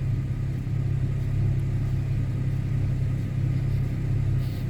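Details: 2011 Chevy Camaro with check engine light, intermittent hard start and misfire counts on cylinders 1, 2 and 6, smelling rich: low uneven idle with an irregular stumble; EVAP purge valve suspected.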